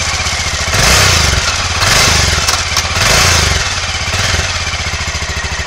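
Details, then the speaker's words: Aprilia Pegaso 650 (2003–2007) engine on test: blipped three times, it settles back to an even, round idle with crisp throttle response and no white smoke, indicating good compression; normal running. "El motor suena muy redondo. Mantiene muy bien el ralentí. El motor se ve que suena bastante bien."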